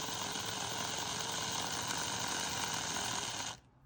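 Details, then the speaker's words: Old 00 gauge motorised model train chassis, tired motor that had jammed, test run after oiling: an even high-pitched whirr with fine gear rattle runs steadily, then stops; the motor spins freely, with the rattle unexplained. "So oil seems to do the magic. It's a bit rattly, I don't know why it's so rattly. Yeah. So it's a little engine which is presumably working."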